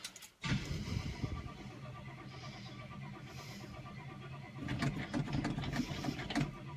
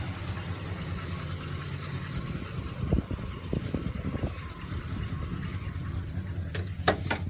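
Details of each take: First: Cold start of the "Sweet71" car after two weeks of rainy weather, recorded with the window open: the starter catches abruptly, the engine runs ragged with uneven pulses, then steadies. Owner notes slight thumping. Rough sputtering cold start. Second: "Sweet71" V8 after a cold start, now warm enough that its usually high idle has dropped: a smooth, even low rumble at a steady idle with no misses or ticks. Owner says it's purring. Normal warm idle.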